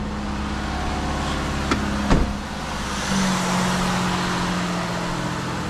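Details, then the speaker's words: Ford Escape after exhaust manifold gasket replacement; the manifold had a broken part, a missing bottom nut and loose nuts. It now idles evenly and much more quietly with no puffing or ticking from the manifold, though some lifter noise remains. "all right like I said said it's still going to make some noise because of that uh those lifters"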